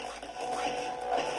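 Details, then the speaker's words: Panasonic 3DO FZ1 with audio that is very quiet when cold and normal once warm: game music coming back in louder but very scratchy and crackly after a minute of warm-up; suspected capacitor issue, fixed by a recap. "It's getting much louder. It's very, very scratchy."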